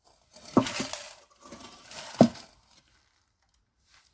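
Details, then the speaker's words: 1996 Land Rover Discovery exhaust, muffler shaken twice: loose metal rattling and clattering inside the can from collapsed baffles; a second muffler also has collapsed baffles, and both are to be replaced. "All the baffles inside have collapsed. Now this truck has a little muffler there, which is no more."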